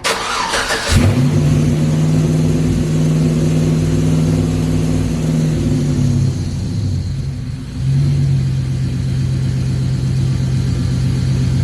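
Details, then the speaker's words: LS-swapped S10 Blazer, first start on newly installed Holley Terminator X EFI after TPS auto-set: fires immediately, fast idle then revs drop to a steady even idle; sounds much better than before. "this A's idling good yeah it sounds so much better I I just started it for the first time right now"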